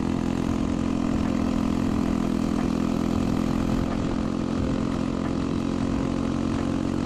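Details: Chopper with a new 125cc 4-speed single-cylinder engine, exhaust pipe cut short to clear the kick start: harsh, loud, raspy drone that stays steady through the run, far too loud.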